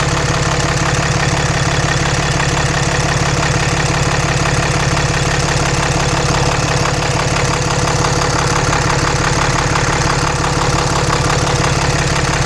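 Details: 2014 Cummins 6.7 diesel (Mega Cab) idling just after installing a CAT 1R-0750 fuel filter on a BMP housing, primed to about 10–11 psi and checked for leaks: steady, even clatter at about three beats a second with a firm low rumble; healthy idle.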